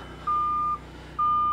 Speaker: if you can hear it and then around the front buzzers are just going off but the panel [Music] but the panel is turned off we just got alarms and stuff going off everywhere